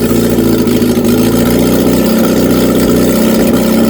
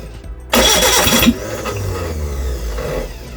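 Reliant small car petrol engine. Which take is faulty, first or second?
second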